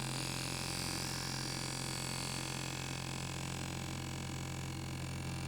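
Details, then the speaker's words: B&O loudspeaker bass unit after surround replacement, slightly misaligned so the voice coil isn't central in the magnet gap: deep tone with a rasping rubbing buzz, worse when pressing the suspension; fix is a last-resort plier adjustment. "let me just show you what it is here that buzzing sound and if I run my finger around the side of the suspension makes it worse"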